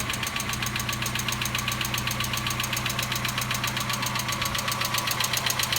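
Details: 1990 Mazda Miata NA, cold start on a warm day: quick, very even light ticking at nearly four per second over idle, rising with rpm; top-end tick, knock or hydraulic lash adjuster suspected, undiagnosed.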